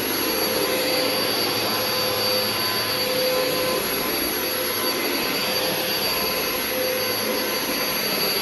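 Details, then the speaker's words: Vacuum running on thick carpet: steady high-pitched motor roar with faint wavering tone; shot brush roll with worn bearings drags instead of spinning freely, making it hard to push; machine rarely used. "It's, you know, the brush roll, and also the bearings are shot. It really doesn't spin that freely, but, you know, whatever."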